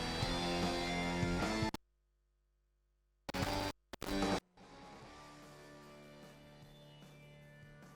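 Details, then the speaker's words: Phonic 1805 mixer, channel 11/12 playing music before fader replacement: sound cuts out about 1.5 seconds, returns in choppy bursts, then quieter; intermittent dropout, suspected bad fader or faulty button. "Now let's listen to 11/12, so there is the same problem with the sound skipping, either the fader is really bad, or there is a problem with the button."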